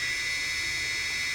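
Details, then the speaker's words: DJI Phantom 2 drone after ECU replacement for a motor locking up in flight: steady high whine holding one even pitch with no stumbles or dropouts, all motors spinning evenly; normal motor run. "the problem that we had earlier with the with the motor locking up is no longer the issue you can see everything spins properly now"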